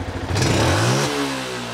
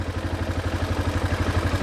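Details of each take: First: Yamaha Jupiter MX before tuning: small bike engine revs hard at full throttle, then stumbles with a brief pause at the top before settling; hesitation when revving, cause unclear. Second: Yamaha Jupiter MX after a new tuning setup: an even, low single-cylinder putter at about four beats a second with no misses, judged smoother and lower than the previous setting. Normal idle.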